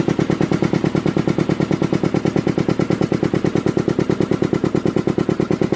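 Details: Rebuilt Canadian-made Devair 447 four-cylinder two-stage compressor pump, converted to a single-phase 10hp 240V motor: quick, even pumping thumps, no knocking or rattle, running normally. One motor bolt is missing and the 8 in mounting plate flexes.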